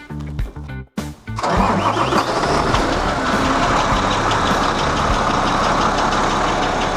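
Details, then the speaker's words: Truck jump-started with a sodium-ion heavy-duty jump starter: brief uneven crank, then the engine catches about a second in and settles into a steady idle; clean start. "Connect the clamps. Press the button. And you can start the truck."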